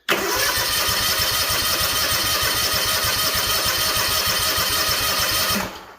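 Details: Freshly rebuilt Kawasaki FR730V in a Cub Cadet SX60, fuel shut off, throttle low, cranking to fill with oil; brisk even cranking about five seconds with regular compression pulses, no firing, turns freely. Normal cranking.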